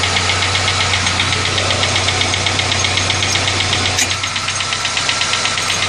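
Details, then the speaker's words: Engine knocking noise: a light, even ticking knock at about four per second over a steady idle. It started right after an oil change and persists after the mass air flow sensor was replaced; cause unknown. "I don't know what that noise is it just started right after I did a water change I you know oil change I'm sorry"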